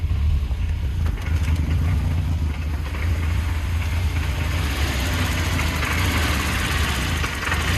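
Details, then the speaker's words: 1984 Volvo 240 running again during restoration: lumpy idle that tries to hold 800 rpm, jumps and stumbles, with faint pinging but free-revving well; rough idle and pinging from incorrect distributor ignition timing. "I'm gonna have to adjust the distributor timing, because it pings a little bit and the idle's rough, but it tries to idle at 800 RPM and it jumps a little bit, but it free revs pretty well."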